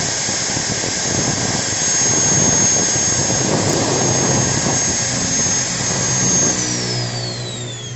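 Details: Modern M-2300B and Maktec MT90 stator-combination angle grinder, test run with the lower body off: a high, steady motor whine winding down at the end, with no crackle or stutter. No sparks, correct counterclockwise rotation. Healthy.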